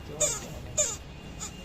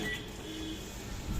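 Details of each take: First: Microwave oven fan with a dusty blade: sharp high-pitched squeaks about every 0.6 seconds over a soft fan hum from dry, rusted motor bushings; oiling them fixes it. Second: Microwave oven after cleaning dusty fan blade and oiling fan motor bearing: runs with only a low steady hum, no squeal or rattle; fan previously squealed loudly.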